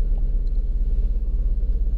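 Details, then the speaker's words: 2007 Lincoln MKZ 3.5L with a customer misfire complaint, idling during scan-tool live data: a lumpy, uneven idle with a rhythmic stumble. Cylinder 2 misfire suspected; the engine dies when put in gear. "oh you can definitely feel it oh it just dies when you put in gear"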